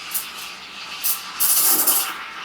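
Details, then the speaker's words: Vibiemme Double Boiler v3.0 espresso machine steam wand in a half-full 20-ounce pitcher: loud hiss with sharp spluttering bursts and harsh shrill rise; wand creating big bubbles, undesirable frothing. "if you hear that noise, it's not good because you're creating big bubbles."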